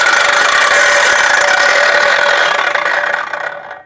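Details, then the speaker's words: Vevor 14-inch concrete saw after the top backing plate was flipped: a strong, even high-pitched whir with blade and mechanism turning together, no longer spinning separately, then a smooth coast-down. Normal blade spin. "so that's perfect that's how it's supposed to spin"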